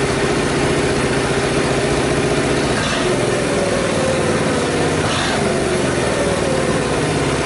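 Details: Reassembled Honda Super Cub single after cam-chain tensioner work, started at idle. Steady, even putter with no ticking or rattle from the top end; the strange noises heard at an earlier start are now absent.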